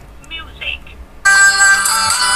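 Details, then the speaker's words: Bluetooth speaker after repair, newly installed speaker tested with battery charge uncertain: clean, full music playback, strong and steady with no crackle or buzz; sound is good, speaker working normally. "the sound is good. The sound is good."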